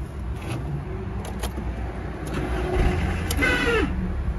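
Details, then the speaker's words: Audi A1 making a strange noise when starting: low rumble with scattered clunks and a brief rising-falling whine, caused by a worn, tired starter motor. "ces bruits là c'est bien le démarreur qui en cause l'allée de marjah ils commencent à être fatigués"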